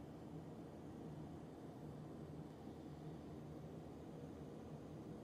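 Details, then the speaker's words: Roughly 20-year-old Comfortmaker furnace after draft inducer replacement, inducer drawing 2.2–2.38 amps within spec; quiet constant low hum with no grinding or rattle; normal running. "are good. This furnace lives another day."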